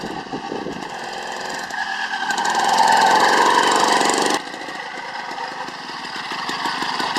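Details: Newly built two-stroke motorised bicycle on freshly mixed fuel, first start: rattles into life first try, revs up crisply, then settles to a steady buzzing idle with no stumbling; normal running.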